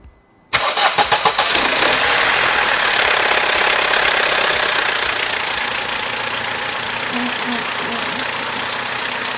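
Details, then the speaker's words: Vauxhall Corsa after repairs, with the dash warning light now off: the engine cranks and catches, stumbles briefly rough, then settles into a smooth, even, normal idle. "Now, not only does that sound 10 times better than before, the warning light has gone off of the dash. I am so happy. Now, I must admit, it did sound a little bit rough when it first started, but now it is idling."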